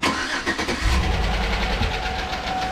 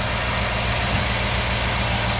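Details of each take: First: 2008 Chevrolet Tahoe 5.3 L AFM/DOD V8, 187,000 miles, low oil pressure warning: after start, quick regular tapping knock at idle, louder on one side at times; lifters checked fine, blamed on leaking oil pickup tube O-ring. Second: 2008 Chevrolet Tahoe 5.3L V8 with displacement on demand (AFM), 187,000 miles, after replacing the oil pickup O-ring. A steady, even low-rumbling idle without the earlier knock blamed on lifters; quiet and healthy.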